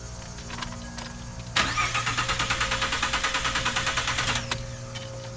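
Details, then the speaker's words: 2013 Ford F-150, 98,000 miles, cranks but won't start after sitting; steady cranking of about three turns a second for roughly three seconds without catching; blown fuse 27 (20 A, fuel pump relay power), replaced. "I just got back in from being out of town and tried to start it up and this is what it's doing it's not starting so I did some research and I think it's a fuse"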